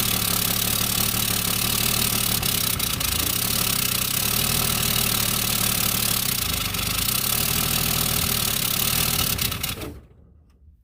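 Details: Plymouth Duster revived after sitting about two decades, before timing adjustment: uneven, loping beat around four per second over hissy background; owner suspects ignition timing, not confirmed; rough idle.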